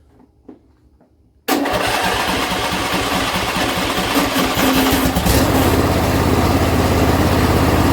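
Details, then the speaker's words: John Deere L120 lawn tractor after carburetor replacement, choke on, throttle about midway: engine catches at once and settles into an even, steady run, firming up as choke comes off; starts without pouring gas in the carburetor. "So it did fire up, so that's a good sign. I mean, I didn't have to pour any gas in the carburetor or anything like that."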